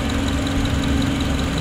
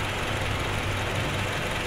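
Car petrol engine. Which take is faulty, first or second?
second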